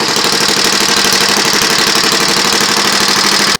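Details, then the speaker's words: Predator 212 engine on homemade drift trike after installing Black Mamba cam, cold-blooded: fast, crisp single-cylinder putter held steady about three seconds then cut off; runs evenly, sounds fancier, shoots flames. "yeah it's very cold-blooded apparently they got going it's a lot fancier sounded now in the shoots flames"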